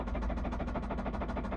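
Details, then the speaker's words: Honda Civic EP3 Type R K20 engine, warning light on almost constantly, revving hard: fast even pounding about seven beats a second over a deep roar; heavy internal knock from a dying engine. "let's go oh my God ah the noise horrific absolutely terrible oh yes this this hasn't got long"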